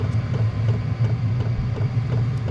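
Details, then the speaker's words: Chinese 5kW diesel heater in motorhome, air intake from outside, running; steady low roar with soft regular fuel pump ticks a few times a second; burning normally. "So far so good. Sounds like a jet at the airport, doesn't it, when you're like waiting to take ready off."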